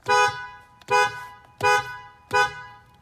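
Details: 2006-2012 Ford Fusion horn after repair of intermittent operation, with corroded horn pad contacts sanded and continuity rechecked: four short, clear horn blasts about a second apart, full-toned and consistent; the horn works properly.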